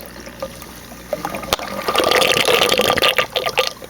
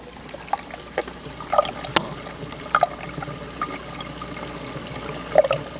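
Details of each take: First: 150-gallon aquarium Reef Octopus overflow box after adding 3/8 hose barb air lines with zip ties, plus silencer lid; water trickles steadily with light splashing, no loud air gurgle or slurp, draining quietly. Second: 150-gallon aquarium Reef Octopus overflow box with silencer lid lifted off during filtration test run; light trickling water with scattered gurgles and splashes, noisier without the lid.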